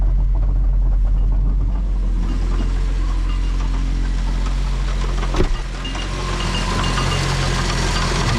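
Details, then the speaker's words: Fiat Panda 100hp in reverse after the engine and gearbox were refitted: a steady drone with uneven knocking and a heavy thump. Driveshafts also clunk in 4th–6th gear; owner suspects they were misseated when refitted. Not confirmed. "the drive shafts are really noisy like once you get in fourth fifth and sixth they make some clunky noises like jumping"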